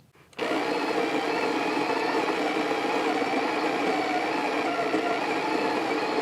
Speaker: We're using, to dial this in, we're actually using the Breville Smart Grinder Pro, and I'm just set it there.